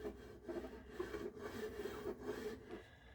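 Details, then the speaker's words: Honda HF2213 ride-on mower deck after hitting a tree branch, lugs removed: dry rasping scrape repeating about twice a second with no heavy knocking; just the drive belt rubbing, not damage. "else you can hear rattling, it's just the belt rubbing."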